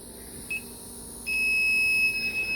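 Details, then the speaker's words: Trane unit with compressor thermal overload, refrigerant being added: electronic leak detector chirps, then a steady high alarm tone locks on, finding the refrigerant leak; oil at the spot confirms. "Hey guys, we're hunting the rare refrigerant leak. I have my gun here. Oh yeah."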